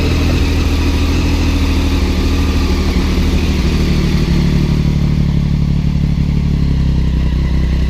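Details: 2006 Triumph Daytona 675 after battery replacement, run a few hundred miles since: fires straight up and holds a steady, deep idle with an even beat, no misses or rattles; no-start fixed, healthy bike.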